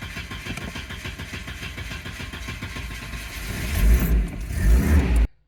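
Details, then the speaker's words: Volvo 740 with a warm-start problem for about a year, cranking long when warm (15 minutes to two hours after running), fine hot or cold; starter churns about four seconds before catching and revving; fault is the injectors. "so why am I going to take out the injectors I started to have a warm start issue with this car maybe about a year ago or so"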